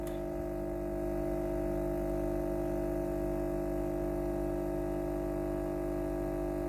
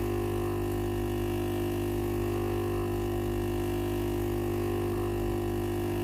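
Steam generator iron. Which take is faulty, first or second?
second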